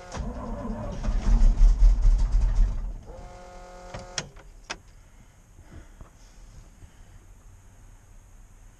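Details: 1988 GMC 6000 truck with dead battery, cranked on booster cables: long rhythmic cranking, about two and a half turns a second, with a few weak firings that never catch. Extended cranking, no start.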